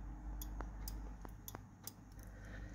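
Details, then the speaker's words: 1989 Jaguar XJS V12 (Marelli ignition), engine bay: a few sharp light clicks as the throttle is nudged at the capstan; the off-idle throttle switch on the linkage opens and closes normally, believed to signal the ignition system. "You can probably hear it clicking just when it when the throttle moves a tiny amount."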